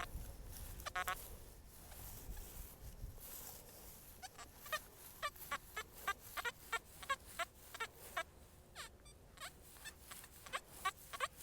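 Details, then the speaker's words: XP Deus 1 metal detector with HF coil, tweaked Hot program, discrimination -6.4, reactivity set low: irregular scattered chirps and squawks, false signals every now and then; reactivity a bit too low. "Right, now, can you hear we're getting these false sort of yearns every now and then? It's not too bad, but I certainly think it's a little bit too low."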